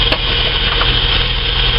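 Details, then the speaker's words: Holden VS Commodore after spark plug change and cleaning plug seats, idle previously surging fast then dropping: steady, even idle hum with no stumbles, nearly smooth; normal idle, idle speed control possibly a bit slow. "the idle speeds actually nice and stable"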